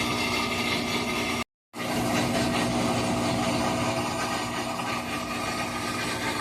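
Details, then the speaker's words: Whirlpool WTW4816FW3 top-load washer bought 2023, control board replaced three times, switched off with no lights or water: steady rough grinding that never lets up. The machine runs on by itself, a recurring loud "jet liner" noise. "Nothing's happening. No lights. But it's making a loud racket."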